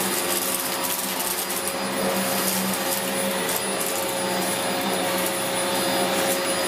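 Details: 17-year-old Dyson DC04 Limited Edition upright vacuum during a big-mess pickup test, belt just refitted, pre-motor filter previously cleaned: constant high airy whine, steady motor hum, some debris rattle, no labouring or surging; running healthy.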